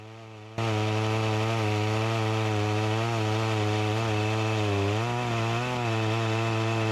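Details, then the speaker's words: Echo CS-352 chainsaw that starts then dies, cutting wood; steady high buzz then pitch sags and wavers under load instead of holding revs; not getting the gas it needs, fuel starvation bogging, chain oiler working. "that's a positive and a negative side this isn't getting the gas that it needs"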